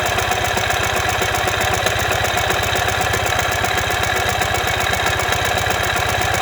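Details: 2015 Ural Ranger at idle: a heavy, uneven knocking at about four per second sits over the idle, caused by a collapsed front crankshaft main bearing.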